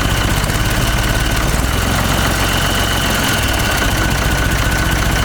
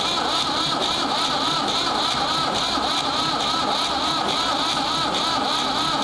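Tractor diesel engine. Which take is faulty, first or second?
second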